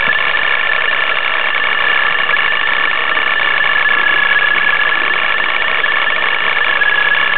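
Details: Nissan 350Z with a Vortech supercharger: a loud, busy metallic rattle with a thin steady tone on top, from the supercharger area; owner says it sounds like the car is falling apart.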